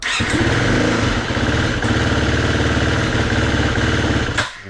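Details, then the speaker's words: 2019 Husqvarna FE350, cold, after long storage. It fires and runs rough and uneven at a fast idle for about four seconds, then sags and dies. It keeps stalling and bogs when ridden; the cause is not yet known. "You know, it just dies. just dies. So that's basically the problem I'm having."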